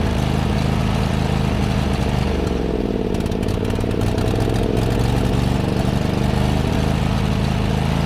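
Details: John Deere GT245 mower single-cylinder engine chugging unevenly, pitch wavering and stumbling under load, with black smoke and possible overheating; running rich from a clogged air filter starving it of air.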